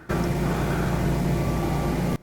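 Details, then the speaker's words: Generac standby generator heard through open cellar windows, carrying the house load after the automatic transfer: a steady, even low drone with no misses or knocks. It runs smoothly under load. "now the house is on generator power I'll let it run for a few minutes"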